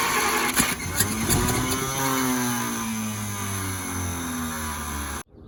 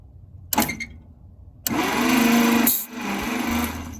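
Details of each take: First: 1950 Packard barn find, unrun about 40 years, with gas poured into the carburetor: the engine cranks and briefly catches, pitch sagging and fading before it dies. It won't keep running; cause not confirmed. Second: 1950 Packard barn find, unrun for about 40 years, cranked on the starter with spark plugs removed; air hisses hard past a finger over the plug hole, showing good compression and a good chance it will run.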